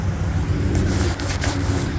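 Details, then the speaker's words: 2014 Chrysler Town & Country van: loud steady low hum above about 25 mph, tied to road speed, not RPM or turning; front wheel bearings replaced 3–4 months earlier began humming a month ago; owner pretty sure it's a wheel bearing. "as long as the speed was kind of above 25 or up, then we would start hearing that sound real bad. So pretty sure it's a wheel bearing."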